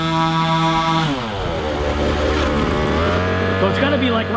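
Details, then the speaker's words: 1/5 scale RC car small two-stroke engine after tuning: fast steady buzz, brief drop, blip and return to brisk idle set a touch high; owner suspects idle should be turned down. "to me sounds like i could turn that idle down a little bit"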